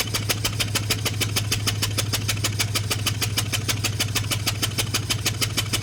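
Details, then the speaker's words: Chevy 1500 V8 with cylinder 7 misfire code, injector swapped, compression on 7 untested: sharp, loud pops about three a second over a rough idle from one cylinder firing out an open plug hole; engine running with spark plug removed. "This time we'll just fire it up and I'll just carry it into there. See what we got going on. This is going to sound awful."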